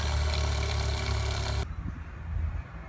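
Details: 1995 Damon Intruder RV fresh water pump, tank about a third full: low, constant buzzing hum that never cycles off or builds pressure. Leaks checked; owner suspects a possible inlet air leak; pump to be replaced. Cause not confirmed.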